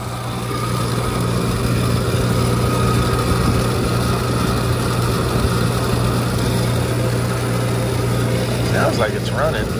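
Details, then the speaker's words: Condenser fan motor on a walk-in cooler's condensing unit, just switched on after a call that the walk-in was not working. A loud, steady low drone with a rough, uneven whirring on top throughout. Noisy condenser fan motor. "it turned on you can enter fan motor sounds terrible I need to gauge up on this thing"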